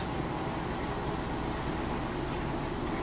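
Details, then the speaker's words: Maytag Centennial top-load washer in the rinse cycle: steady, even whoosh of a fast spin with no thumping, banging or scraping; the load is balanced, no weird noises, healthy. "Nice balanced load. No weird noises or anything like that. And then there again, you saw that it's spinning nice and fast, balanced on the inside."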